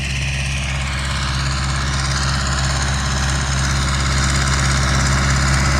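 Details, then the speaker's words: MTZ-82 tractor pulling an SPCh-8 seeder sowing sunflower: a steady diesel drone with a thin, even whistle above it from the seeder's fan, which is running normally. "Чуєте, як свистить наша СПП8? Наче якась євровалка, але нічого."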